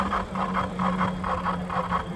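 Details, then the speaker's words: 2024 Mokwheel Obsidian e-bike in pedal assist level 5: steady motor hum with rhythmic swishing rub about every half second, following wheel speed; front hydraulic brake hose, twisted by basket mounting, rubbing inside of tyre and hitting spokes. "The front brake tube for the hydraulic brakes was rubbing on the inside of the tire and also hitting the spokes."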